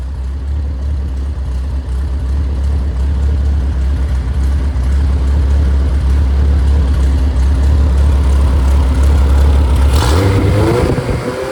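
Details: Freshly rebuilt Triumph Spitfire/MG Midget 1500: shaved head, flat pistons, 270 cam, enlarged intake valves, double timing chain, 190 psi compression. Deep, smooth, even idle, no knocks or ticks, then a clean rev rise. Normal running.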